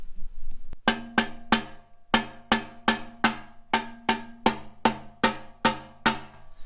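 About a dozen sharp hand knocks on the can, each a clean ringing tap that dies away quickly with no rattle, a sound resonator.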